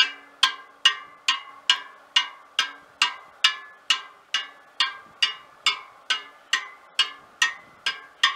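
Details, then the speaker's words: Trued wheel of a 1939 Royal Enfield 500 Model J Bullet, now spinning true: clean, evenly spaced same-pitch spoke pings, with a slightly different note on the other side from different spoke lengths, showing even tension. "they're all pretty near not 100 exact but within a gnats i would say and on the other side a slightly different note because of a different length spoke of course"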